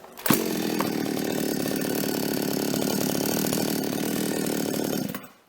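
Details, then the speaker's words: Toyama TCS46H chainsaw after carburetor cleaning, new intake and slightly lowered idle (T) screw, needles L 1¼ and H ~1½ turns: fires on first pull and settles at once into a steady even buzz, no stumbling or dying; healthy start and idle. "Então eu só diminuí um pouco aqui no parafuso da marcha lenta, que é o T."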